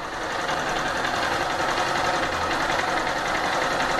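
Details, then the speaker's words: Honda CG Start 160 single-cylinder motorcycle at idle: steady light tapping three or four per second, which the owner feared was valve knock; dealer workshop chief said it is the normal noise of all 160s, not valve. "E essa batidinha, cara, não tá batendo válvula, é o barulho normal da 160. Todas as 160 tem esse barulho."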